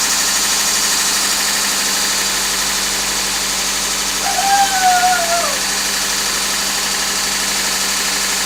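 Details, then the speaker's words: 1994 Honda Civic EX (EJ1) D16Z6, first startup after rebuild with remanufactured crank and .020 overbore: smooth, even, loud idle with steady hiss, no knocks or misses; healthy. "Music to your ears, right? It sounds loud."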